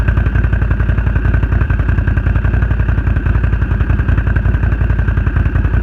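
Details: Renegade 1000 at a loud, ragged idle with uneven popping and dropped beats in the exhaust rhythm; engine misfiring, cause not known.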